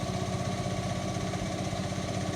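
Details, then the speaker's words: Indesit washing machine after drum bearing replacement (drum housing cut open), during the spin at quite high speed: steady, even low hum with no rumble, grinding or knocking; new bearings quiet and healthy, a vast improvement over the previous noise. "speed now no obvious problems normal noise basically so being good right we're now entering uh quite a high speed still no problems amazing difference new bearings have made"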